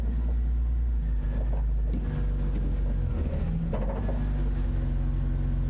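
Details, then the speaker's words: BMW E46 drift car, engine idling as it creeps off in first gear: a couple of dull thuds come from the middle of the transmission tunnel. Cause suspected, not confirmed; the driveshaft and center support bearing were to be checked. Driveline clunk when moving off. "That weird clunking noise is coming somewhere here in the middle of the tunnel"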